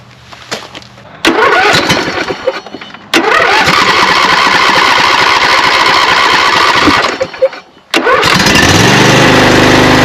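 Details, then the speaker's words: Craftsman 42-inch lawn tractor, 24 hp Briggs & Stratton V-twin, after cranks-no-start and fuel solenoid replacement: catches then runs uneven and lumpy, only one cylinder firing, left side cooler; owner suspects carburetor problem. "even though I got it started it doesn't sound like it's running on both cylinders"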